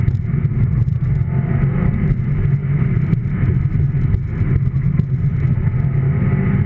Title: my subie wont start